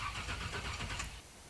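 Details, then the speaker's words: Flood-damaged 1985 Monte Carlo SS 350 Chevy V8 with 20-year-old mini starter: about a second of quick, even cranking that stops abruptly without catching; short crank, no hydrolock indicated. "see we're building that pressure and you don't want to burn your starter up just go really short and another thing that this test is kind of letting me know is that uh I really don't have any like hydrolock type situation because the engine is really cranking"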